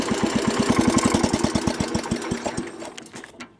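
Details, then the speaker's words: Wheel Horse tractor after horrible transmission noise, tested in reverse and third gear: even rhythmic chugging fading as it shuts down, no grinding or squeal; drive normal, loose worn belt suspected as earlier cause. "i can't tell you how relieved i am it's not making that horrible noise"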